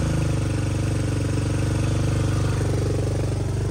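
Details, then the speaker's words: 2023 Kawasaki KLX110 with TB Parts 143cc bore kit, Mikuni VM26 carb and BBR U-Flow, first start, idle turned down; low even single-cylinder thumping, steady, no misses; smooth quiet normal idle. "not bad for the first start though smooth sounds he yes healthy nice and quiet"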